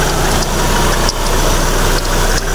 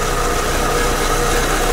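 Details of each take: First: Proton Persona with the Campro engine, idling; belt tensioner and fan bearing were noted as starting to wear: steady, even, smooth idle with no knocks, charging at 14 V. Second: Proton Persona Campro, owner complains of hesitation and an unstable idle: rough, uneven idle with a stumbling beat while idling; misfire from a weak spark plug or coil.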